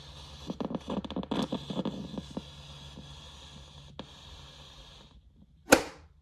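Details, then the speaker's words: General Electric 7-2930D portable radio, tuning through FM stations, antenna broken: irregular scratchy crackles and pops over a faint hiss, ending in one loud burst. Owner says oxidation is its only issue. "Yep, oxidation issues is the only issues that have come apart from the antenna being broken."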